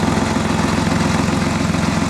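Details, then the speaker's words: High-mileage Porsche 986 Boxster at idle: loud idle with rapid regular puffing pulse; exhaust leaks back past the manifold flange, manifolds mismatched and needing replacement, exhaust manifold leak. "So, the issue we've got where this flange goes around here, it's actually letting exhaust gases back down the other side of it."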